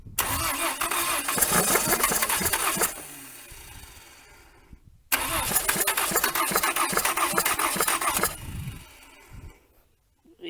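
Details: 1980 Dodge Colt Challenger (Mitsubishi Galant) four-cylinder automatic, sitting 20 years since 2001, fuel poured into carburetor: steady cranking with a few ragged catches that never pick up, then dies; cranks but won't start.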